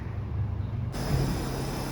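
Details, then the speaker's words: Sanyo/Panasonic ECOi outdoor unit with E04 error and dead board, after replacing both blown slow-blow time-delay fuses: steady low compressor and fan hum, no rattles or cycling, amperage good. "all right it's up and running now you can probably hear it"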